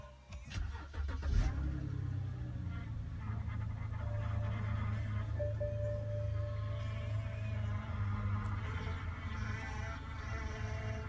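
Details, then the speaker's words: Damaged 2011 BMW 328i bought at auction, battery charged, first start attempt after repairs: a brief crank catches quickly and settles into a steady, even idle with no knocks or misses; normal start and idle. "Uh-oh. It started."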